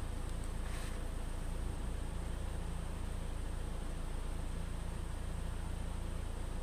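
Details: 2013 Ford EcoBoost 1.6 L after cleaning the mass air flow sensor: a low, steady idle rumble with an even pulse and no stumbles; the previously unstable idle is now smooth and idle rpm has dropped.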